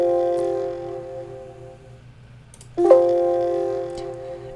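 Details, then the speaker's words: Dell XPS laptop (13/15/17, 2020–2021) speakers playing the Windows asterisk sound: two-note chime with sharp crackling distortion and pops as it fades out; no fix was found. "for example when i play the windows asterisk you can hear that distortion at the end of the audio listen closely"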